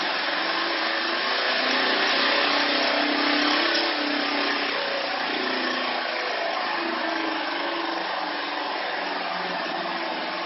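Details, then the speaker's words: Electric vehicle conversion, motor module on a Netgain industrial controller with 36 V pack, in first gear at 30–50 A: steady coarse whirring roar with faint rhythmic pulse; owner suspects motor and transmission misaligned, never let the motor center. "that noise inside there sounds like something's not lined up very well to me"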